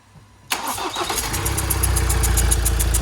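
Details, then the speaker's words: 2017 Ford Transit Custom 2.0 EcoBlue diesel just after rebuild and first start, old injectors refitted: steady chuffing about four times a second at tick-over from leaking injector seals. "hopefully guys you can hear that chuffing noise that's the seals on the injectors"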